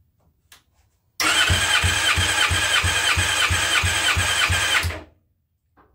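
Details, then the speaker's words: Fresh methanol motorcycle engine, just warmed up, cranked on one battery with fuel pump unplugged and plugs out: about ten strong, even pulses near three per second, compression reading 240 each time; healthy, uniform cranking compression. "i don't know if you can hear how fast it's cranking but that's only on one battery i usually run two 240 on the dot okay we're good"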